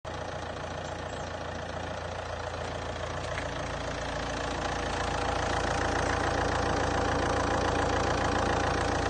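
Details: Saab 9-3 1.9 TiD diesel after bypassing a damaged ground cable that caused a no-crank no-start: steady, even idle with a regular rhythm and no knocks or misses; normal idle.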